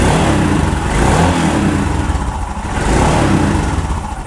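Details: Royal Enfield Himalayan single-cylinder just after a jump start from an old Bullet for a recurring dead battery: the engine catches and revs up and down a few times, picking up cleanly and settling back; running properly.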